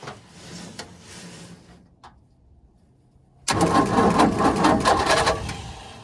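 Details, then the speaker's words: 1942 Ford 200ci first start attempt after 20+ years, fuel dumped into the carburetor to bottle-feed it: quiet turning, a pause, then fast rough chugging about two beats a second with uneven catches; tries to fire but won't keep running. "Oh yeah, she wants to fire. All right, she wants to run, guys. She is definitely trying."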